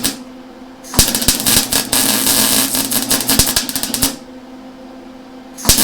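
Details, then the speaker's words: Lincoln Electric Handy MIG after about 6 months' use, running beads: erratic crackling and popping instead of steady frying hiss; wire feed speed too high, wire bouncing back, fixed by slowing it down. "Okay, so I did wind up slowing that wire feed down. It was kind of bouncing back on me. You can see here where I had it up too high,"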